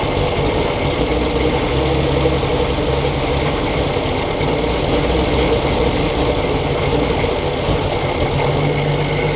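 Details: 1942 Chevrolet Blitz CMP 4WD truck, 216 six-cylinder petrol engine with Carter carburettor on gravity-fed fuel, first start after sitting for years: steady, even idle with a low, regular beat and no clear knock; runs fine after storage.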